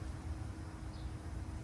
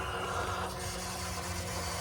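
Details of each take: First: 2020+ Ford F-350 Power Stroke diesel after installing an SPE Motorsports fuel filtration system, about the 15th key-on prime before first start: only a faint, even pump hum with no gurgling as the filters fill; normal priming. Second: 2020+ Ford F-350 Power Stroke after swapping to an SPE Motorsports dual-filter fuel system, engine off: steady pump whir with a faint hiss of fuel flow over many primes as air purges from the new empty filters.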